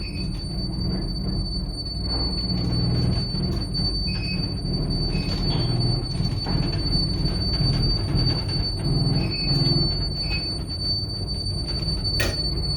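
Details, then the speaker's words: 1921 Illinois AC geared traction birdcage elevator (2000 lb, 100 FPM, 6 floors) climbing with one rider: high steady whine over uneven rumbling and clunks. Hoist motor strains, slips and jerks going up but runs fine going down; cause unclear. "yeah that's not normal so this thing does fine on the way down but like i don't know if the camera if the microphone was picking it up you could literally hear the motor going as it went up"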